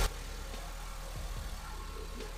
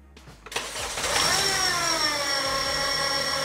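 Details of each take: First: 2010 Honda Civic 8th gen 1.8L at idle after replacing the squealing belt tensioner bearing: steady even idle with low drone, no squeal or chirp from accessory drive; noise fixed. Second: 2010 Honda Civic 8th gen 1.8L: loud, steady high-pitched squeal at start and idle, unchanged by turning the steering. Owner suspects the belt tensioner; the tensioner pulley bearing was replaced.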